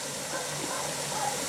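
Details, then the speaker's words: Presto pressure canner with tomatoes on outdoor LP three-burner hotplate, burner wide open, venting (blowing off steam) phase with four minutes to go: steady even hiss of steam from the vent, no sputtering, before weight goes on; normal venting. "anyway she's canning tomatoes and right now we are in the blowing off steam phase or venting"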